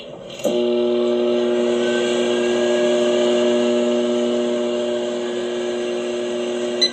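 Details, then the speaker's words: Whirlpool over-the-range microwave AMV2307PFS-0, door switch previously replaced: loud steady low fixed-pitch buzz seemingly from behind the button, recently developed, stopping sharply; buzzing/humming noise, cause unknown. "There's a buzzing / humming noise that sounds like it's coming from behind the button. The sound just recently developed."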